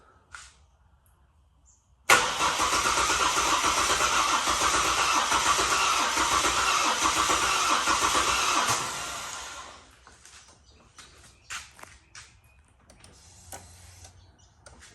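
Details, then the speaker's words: Ford BF XR6 Barra engine newly swapped in, first start attempt: starter turns steadily at about 200 beats a minute for seven seconds and never catches, battery sounding weak. Crank-no-start; owner suspects the MAP sensor, a different part number. "no luck try again come on baby no no go well it's all in and turning over so now it's just a matter of figuring it out"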